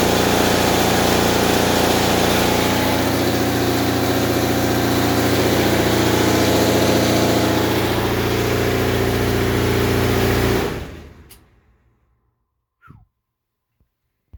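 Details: Frigidaire Affinity dryer AEQB6000ES0: loud, steady low rumble with heavy vibration throughout the run, fading as the drum stops; fixed by replacing the motor and blower assembly, blower likely the cause.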